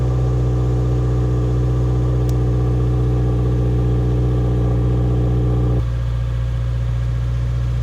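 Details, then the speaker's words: Subaru WRX, mostly stock with Cobb OTS stage 1+ tune, intake cover and ducting removed: cold start at fast idle dropping to a lower settle, steady low even hum, no ticks or knocks; normal cold start idle. "as you can hear, the cold start is pretty quiet, and we intend on keeping it that way."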